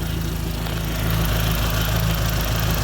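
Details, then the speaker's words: 2004 Dodge Neon SRT-4 at a steady, even low idle with no stumble or hunting, check engine light on, after a crank-no-start was fixed by running an auxiliary power wire from the battery directly to the starter, bypassing corroded starter wiring. "how about now yo is running come get it srt4 is back together we're running and check engine light but"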